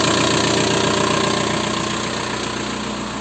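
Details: 1.9 TDI diesel (ALH/AGR/ASV/AHF) at idle after an oil change: steady light knock about three per second over the clatter, from worn hydraulic lifters and piston slap. Rings likely burned by 30,000 km oil intervals. New lifters nearly removed the knock.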